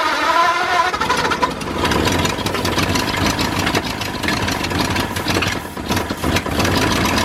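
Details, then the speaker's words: New engine in a 1953 Ford project truck, first start after pulling a cylinder head to verify number 1 at top and marking it: fires and settles into a slightly uneven but sustained idle, no knocks or grinding; runs, no coolant hooked up. "Call that running."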